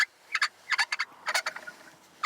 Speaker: this is really annoying so I'm gonna attempt to pop this out without breaking anything and spray it up with some release all